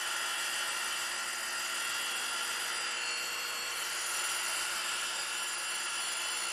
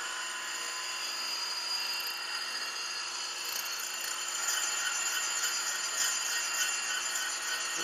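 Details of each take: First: 100 grit Radiac wheel grinding a pin under 0.150 in diameter sticking out 1.8 in without support, traverse slowed: even steady high hiss with no pulsing or chatter; smooth, stable grinding. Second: Grinding a pin sticking out 1.8 in unsupported with a free-cutting 100-grit Radiac wheel at 0.001 in per pass, pushing toward 0.120 in: steady wheel hiss with a faint high ringing as the part sings; back off the feed.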